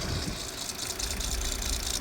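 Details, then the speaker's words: Peugeot Partner 1.9 diesel van idling with a loud high-pitched chirping squeak from the drive belt, which is being forced slightly off the side of a misaligned tensioner pulley; fixed by replacing tensioner and belt. "So as we look in there, we can see that noise is coming from the belt area, and specifically the tensioner."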